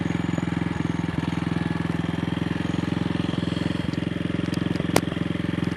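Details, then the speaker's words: AJS single-cylinder motorcycle after carburetor slide cleaning and throttle cable rerouting: a steady thump with uneven pulses and stumbles on light throttle, riding in second gear with the throttle still sticking; a misfire, cause not evident. "sunny Saturday morning. Forecast is alright this morning and horrible tomorrow, and this bike is misfiring."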